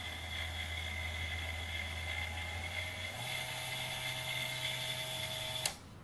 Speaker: that's got a planetary gearbox you can actually hear the gears rotating so it's not a straight drive like a dremel so this should be quite powerful even though it's only a low wattage thing